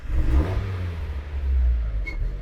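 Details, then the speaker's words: Engine with ECU upgrade or swap, open-loop idle table with idle air set too low: won't start on its own, held on throttle with uneven surging revs, then sags and dies as the pedal comes off. "Try to fire it up here. And it just immediately dies out. If I try it again, it just like, it won't start."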